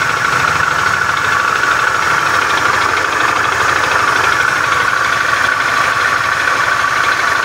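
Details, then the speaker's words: Beat FI scooter with a rough starter, idling in the workshop: a harsh, steady clatter with a busy metallic klotok-klotok rattle. The mechanic attributes it to a worn, damaged connecting rod. "suara kasar yang seperti ini itu disebabkan dari stang sehernya yang sudah mengalami keausan dan sudah mengalami kerusakan jadi suaranya kasar klotok-klotok seperti itu ya teman-teman"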